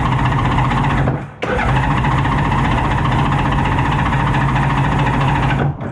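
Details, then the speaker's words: Thrashed 1989 Honda Goldwing GL1500 that starts easily after a few throttle cranks: steady, even engine drone with a firm low hum and only brief dips, no misses or knocks; normal running. "I learned that it actually starts pretty easily let me demonstrate and keep in mind I mean pretty easily for a thrashed motorcycle from 1989 got to give the throttle a few cranks"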